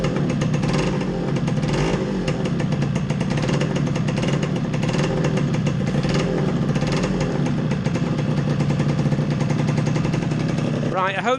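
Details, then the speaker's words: Yamaha RXS100 two-stroke, engine just refitted, first run in about 6 years on 50:1 premix from a remote tank, choke on: crisp uneven popping after starting on third kick, settling into a steady ringing idle with no knocks or rattles; healthy. "This is the first time this engine's run in about 6 years. I reckon it's going to be 3 kicks maximum."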